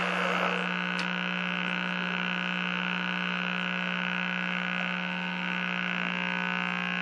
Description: Troubleshooting the audio buzz and lack of reception.